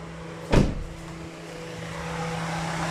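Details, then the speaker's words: Toyota Altis at key-on, engine cold after standing long and not started, A/C off: a click, then a steady whirring hum builds and holds as the radiator fan runs on its own, with the dash lights all out. "กำลังจะสตาร์ทครับฟังเสียงครับพัดลมหมุนเองครับทั้งๆที่รถจอดทิ้งไว้ตั้งนานเครื่องเย็นนะครับได้ยินเสียงพัดลมยครับไปดูหน้าเครื่องนะครับพัดลมหมุน"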